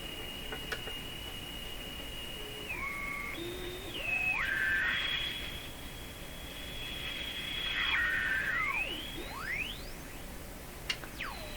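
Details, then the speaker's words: Sparton Model 5049 radio investigated for spurious oscillation when the IF transformers are peaked: a thin heterodyne whistle wanders and sweeps in pitch over hiss as the dial moves, from onset of oscillation to full oscillation; cause suspected, not confirmed. "so this Hound interference sound is interference that's oscillation starting and that's full oscillation"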